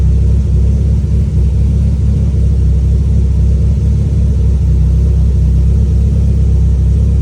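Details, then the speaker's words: E85 turbo car after the tune was adjusted for a slightly lean idle and a fuel line leak that had made it run rich: deep, steady rumble, even throughout, no misses, stumbles or knocks; normal idle and revs. "just like that Jack fixed the tune it was just running a little lean at idle"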